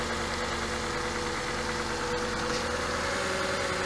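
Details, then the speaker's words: Porsche Cayenne 957S with scored cylinder, idling after Ceratec oil treatment and 200 km: steady idle with dull, uneven knock under the engine hum, consistent with piston slap; slightly less noise than before. "so here we are endured 200 km later we have a little less noise"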